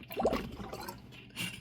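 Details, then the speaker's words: Rheem AC air handler drain clean-out pipe in heavy rain with AC off: irregular watery gurgling and splashing as the drain backs up instead of flowing away. Happens only in rain; owner suspects the drain line is blocked or installed incorrectly. "You could hear it gurgling. It's not draining. There it goes. There's your proof. Something's wrong with the drain."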